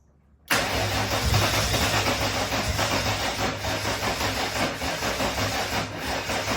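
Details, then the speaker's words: RB30 turbo in a VN Commodore that sat with no oil and upside down, still showing no oil pressure: steady fast cranking on starting spray with a few weak firing pulses that never catch and run. Cranking without starting. "So as you've seen just there, I fired it on Start Your Bastard, and it fired. But yeah, I can't get it to go any further than that basically."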